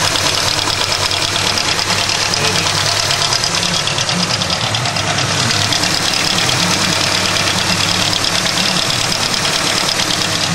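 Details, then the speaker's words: Hyundai Tiburon 1.8 L with aftermarket exhaust headers; rough idle with a fast, clattery, uneven ticking that fades when revved; told it's lifters, owner unsure, cause unconfirmed. "I've heard it's lifters and it doesn't sound lovely like it sounds kind of bad right now um if I rev the engine it kind of goes away and it kind of idles a bit rough"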